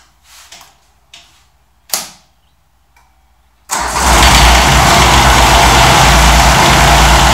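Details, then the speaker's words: 1990 John Deere 332 with 3-cylinder diesel, after repair: cranks and catches at once into a loud, steady, slightly uneven idle; rough diesel idle, likely air in the fuel lines. "one of the other tutorials said to just turn it on Let It idle for as long as she'll suffer and the air will work itself out"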